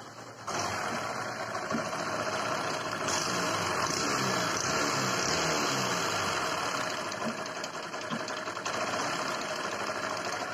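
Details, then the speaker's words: Discover 100 motorcycle engine, before repair. Fast, loose metallic clatter of about four beats a second over the idle, very loud knocking. Timing chain rattle; later fixed by replacing the timing chain. "Engine जो sound बहुत ज्यादा कर रहा है engine में खड़-खड़ कर बहुत ज्यादा आवाज़ ए जाए"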